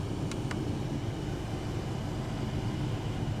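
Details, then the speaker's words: Front blower motor (R13 fuse) with air recirculation released: a click, then a steady, even, slightly softer fan rush as the motor drops a speed; normal blower speed drop with recirculation off. "Now you see, it doesn't blow as hard. So it must increase the motor speed also."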